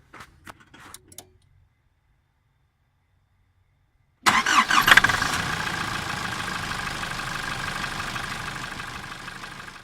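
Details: 2008 Nissan Patrol ZD30DDTi 3.0 L common-rail turbo diesel, first start after refitting the exhaust manifold and turbo to fix a split gasket that caused a loud turbo-like whistle: catches quickly, settles to an even idle, no whistle or hiss.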